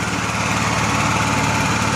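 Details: Honda EXW171S gas welder/generator after fuel system restoration, running unloaded. Fast, even single-cylinder patter at steady speed without misses or knocks; sounds healthy.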